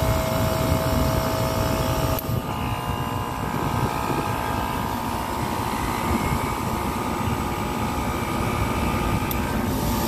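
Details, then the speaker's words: Copeland digital scroll compressor in a Liebert precision cooling unit for data centers: steady roar shifting tone with a click about two seconds in, then even; solenoid valve varies capacity; sounds broken but is normal loading/unloading. "it looks familiar only that it doesn't sound familiar so you hear that difference or the change in sound or the change in tone or the clicks it's not broken all right it's not broken this is what you call a copeland digital scroll compressor"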